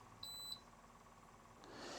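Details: Dometic Freshjet inverter roof air conditioner switched on via the Dometic Climate phone app; two short high beeps then soft hiss, normal power-on acknowledgement.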